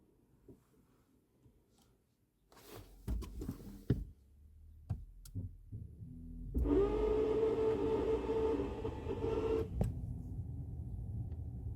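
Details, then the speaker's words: Mini F55 1.5 diesel, intermittent no-start: a few clicks then steady high whirring with the engine not turning; owner suspects starter motor spinning in its housing without engaging. Not confirmed. "as you've seen in the video, it doesn't start the vehicle. And I think it is just, when you crank the key over, I don't think the starter is spinning. I think it's just spinning in its housing rather than pushing out to engage."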